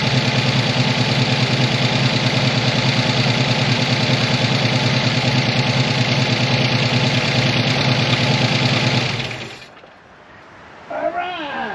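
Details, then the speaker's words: 1985 ASC McLaren coupe V8 with a newly built engine, first start after sitting since 2002: steady idle with light regular top-end ticking, about two per second; owner unsure if the valvetrain parts are rollers, cause unconfirmed. "right i do hear a lot of uh well i hear a lot of clocking out of the the top end here which isn't great"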